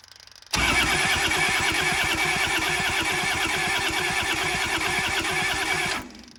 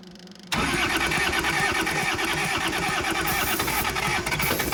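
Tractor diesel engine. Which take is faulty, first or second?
first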